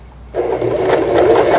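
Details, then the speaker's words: Janome-made JF1012 sewing machine, long unused, after repair (burnt part replaced, two missing base rubber pads replaced): spins up into quick even stitching rattle, no knocking or grinding. "다음에 옷감을 넣고 박음질을 해 보도록 하겠습니다."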